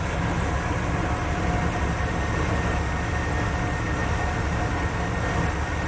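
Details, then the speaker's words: 1976 GMC Jimmy, the V8 running after a new gas tank install and still slightly rich: deep, steady drone with an even beat and no squeak or tick. The earlier squeaking sound is gone and it runs smoothly. "for those of you that remember the squeaking sound it's gone that ain't nothing but just sounding"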